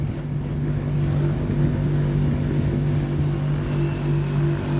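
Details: LG condo air conditioner on R410 with weak cooling: the compressor gives a loud, deep droning hum with buzz and a shaking rattle; the condenser fan spins slowly, possibly a capacitor fault; current about 3.8 A; poor heat rejection.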